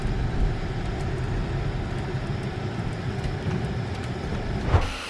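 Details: 2012 Peugeot 308 1.6 at 66,200 km, test drive after stabilizer link and front shocks/mounts replaced: steady road rumble, no scraping or knocking over bumps; former right-side rubbing and knocking noises gone.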